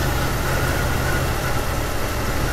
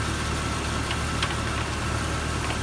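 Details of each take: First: 1999 Jeep Cherokee that stalls intermittently, with an aftermarket crank sensor fitted by another shop, warm idle: uneven stumbling beat under a hiss, near stalling; scope shows an abnormal crank signal, so the faulty crankshaft position sensor causes misfires. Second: 1999 Jeep Cherokee idling about an hour and 10 minutes without a miss or stall: steady, even idle with a smooth low drone; normal idle.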